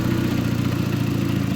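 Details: VW Mk4 after battery relocation to trunk, EPC light on: idle swells and sags unevenly several times a second; owner suspects wires from the power steering pump shorted during the work and fried the ECU.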